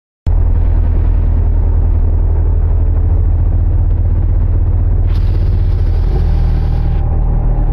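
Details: BMW E30 driving around 40 mph: low steady rumble with a faint rough grind from the rear, clicking at the right rear halfshaft, vibration at 40 and above 65; driveshaft recently replaced, owner suspects driveshaft or pinion bearings.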